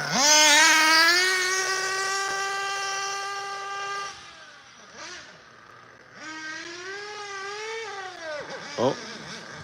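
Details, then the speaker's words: RC HB 818 with STS nitro engine during break-in: high-pitched steady scream, then pitch sags and wavers before cutting out as it leans out running out of fuel. "Yep. Nice. Out of fuel. When it starts to lean out, you can hear it."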